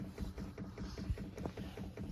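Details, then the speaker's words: Chinese diesel heater fuel pump in a van, primed by holding two buttons: steady rapid ticking about five per second; normal fuel pump ticking during priming. "this one you push these two buttons to prime it then it starts ticking if you can hear that it's priming it as long as you hold them"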